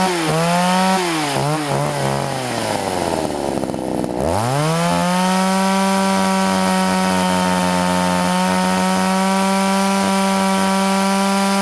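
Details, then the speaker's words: Two-stroke chainsaw during carburetor tuning with air filter fitted: revs wobble and stumble under throttle, breaking up when too rich, no fuel on throttle when too lean, then settle into a steady high buzz once adjusted. "okay that's it I actually just got it to nut butter at first it was too much and it kind of sounds it breaks up the second time I ran it to lean and when you squeeze the throttle it doesn't have any fuel"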